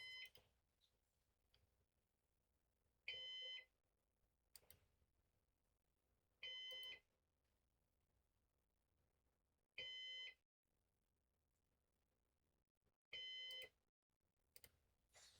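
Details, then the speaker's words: Used Synology DS418 NAS during first setup: short high beep about every three and a half seconds in a quiet room, heartbeat-like; cause unknown. "I don't know why it's beeping, but Sounds like a heartbeat."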